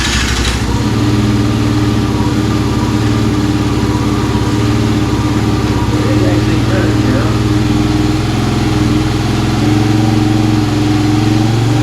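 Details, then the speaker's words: 2017 Kawasaki KFX50 kids' ATV, unused for years, petcock switched from reserve to on after no fuel flow: small single settles into steady even low idle with no misses; but won't take throttle, dirty or small main jet or restricted petcock suspected. "okay so we made some progress obviously it starts and runs now um it doesn't seem to want to take any throttle"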